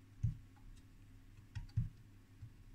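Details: HP 400E AC RMS voltmeter (1969), after cutting out crusty connectors and resoldering them: four short crisp irregular relay clicks while turning between the 1 and 3 volt ranges; the relay now energizes, with no sticking or chattering, normal switching.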